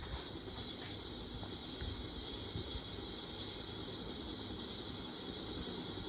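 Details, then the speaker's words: 1994 GEC 120cm ceiling fan running: quiet, continuous gritty rumble over a faint steady hum; very bad, worn bearings. "all right you can hear the bearing noise now if you can hear it's quite noisy isn't it Tron yeah that's low speed four"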